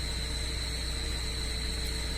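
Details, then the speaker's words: 2012 UAZ Patriot Pickup at idle, used for farm hauling: thin steady high whistle with clutch engaged, louder when the clutch pedal is pressed; likely worn clutch release bearing, clutch replaced roughly yearly. "Но даже на сцепление не вышитое всё равно где-то слышно что оно под свисты А когда нажимаю сцепление ещё сильнее свистит"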